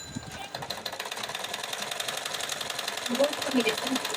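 Light, quick even ticking near three per second over a soft whir; the sewing machine runs steadily without heavy clatter.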